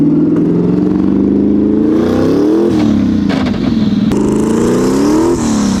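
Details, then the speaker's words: Scion FR-S built to about 700 hp, first drive with new Mantic twin-disc clutch: revs rise and fall with ragged uneven note and crackle under load, flames from exhaust; running crazy rich and breaking up, no good wideband reading. "Whoa, dude, it freaking flames! It is rich, crazy rich."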